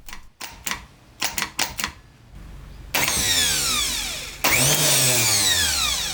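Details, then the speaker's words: Starter motor from a flood-submerged Suzuki Cappuccino 3-cylinder turbo kei car, bench-tested after penetrating oil freed it: a few sharp clicks then two smooth high whirring spin-ups; solenoid and drive OK, normal starter operation. "vâng, nó chắc chắn sẽ hoạt động vì vậy bộ điện từ và bộ truyền động OK"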